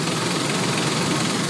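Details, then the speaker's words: 2001 Ford Explorer Sport 4.0L, towed in for hard starting and running badly, idling during basic MAF sensor testing while the connector is pried and wiggled: steady, even idle with no skips; fuel trims good; slight valve chatter noted; normal idle. "I mean, you can hear it. It's not skipping a beat. I checked my fuel trim numbers. Everything looks good."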